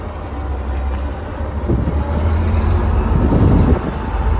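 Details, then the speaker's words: IH 1466 salvage parts-donor tractor with straight-pipe exhaust, moving in low range (high range not usable): deep, loud unmuffled diesel rumble and bark under light load, runs and drives with good oil pressure. "But it runs and drives, so looks like it does pretty good oil pressure, so that's nice. Straight pipe, so you know, makes all the noises."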